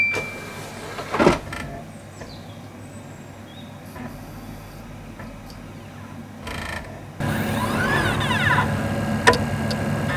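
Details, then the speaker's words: Xbox 360 Slim with a Hitachi-LG DL10N DVD drive, camera on top of the console: the tray closes, then the drive whirs and clicks repeatedly trying to read the disc without success. This diagnoses a dead optical pickup (laser), which is then replaced. "And I'll try and enhance the audio so you can hear that clicking sound, because that clicking sound is very, very important. It's a way you diagnose a dead optical pickup."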